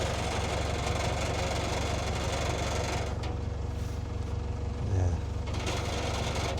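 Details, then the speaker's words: 2017 Range Rover Evoque diesel at idle: tinny buzzing rattle over diesel clatter as exhaust mounting nuts have pulled through; fix planned with larger washers; exhaust rattle from loose mountings. "It's no big panic, but it's very, very annoying that rattle on the exhaust. And it's just they all pull through."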